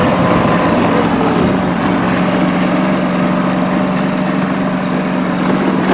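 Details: Late-model John Deere 445 garden tractor, 2500 hours, warm start on three-year-old gas: steady, even low drone with smooth firing beat, no misses or knocks; no exhaust smoke, doesn't burn oil, runs healthy.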